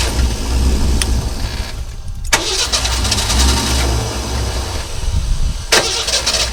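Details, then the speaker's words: 1963½ Ford Falcon Futura, off the road 18 years, after new rotor, distributor cap and battery, started after sitting overnight: cranks, catches, stumbles unevenly into rough idle; stumbling start, cause not yet known. "so obviously she still has a little bit of a stumbling start up there we're gonna see if we can't clean that out"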